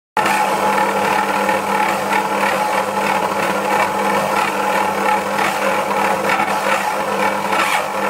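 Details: Dualit 88013 desktop mixer, new, mixing 500g flour and 300ml water, within the rated maximum: a steady motor hum with gear clatter and uneven surges as it labours under load and skips speeds; a replacement unit did the same.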